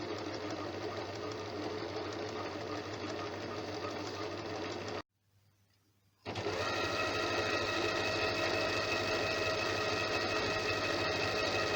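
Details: Janome sewing machine after being serviced for a running noise: a fast, even stitching rhythm at roughly three stitches a second, with no knocks or grinding, briefly stopped then resumed. It now runs clean.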